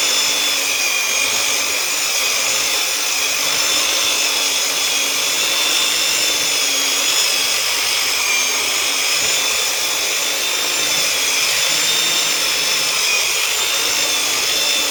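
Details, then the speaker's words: Old Black and Decker U-144 belt sander after its damaged gears were repaired: a smooth, even high-pitched whine with a steady sanding hiss; the earlier grinding noise is gone and it runs normally. "let's give this uh let's put this dude through the ringer give him a test drive no more grinding noise that's that's i guess"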